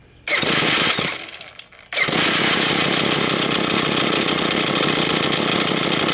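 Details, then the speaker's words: Two-stroke string trimmer with diaphragm carburetor cleaned with GumBuster, idle mixture screw turned back half a turn: rough, buzzy idle that sags and nearly dies before catching again. Idle mixture still too rich. "i'm going to turn it off so it runs better but the steel kind of wants to die that means the mixture is still too rich"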